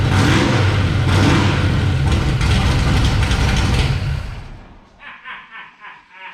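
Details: 1966 Chevy Bel Air, 461 big-block Chevy with new headers, first start: loud open-pipe V8 burble idling evenly about four seconds then shutting off cleanly, no misses or knocks; healthy, sounds good.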